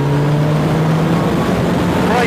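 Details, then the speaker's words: Yamaha YZF1000 R1 at wide open throttle after a short shift into third, note stumbling and breaking up instead of pulling cleanly; feels electrical or secondary ignition, but carburetion suspected. "that was wide open throttle that last bit there just j j j j just didn't want to pull clean at all okay it feels a little bit electrical it feels a little bit secondary ignition like"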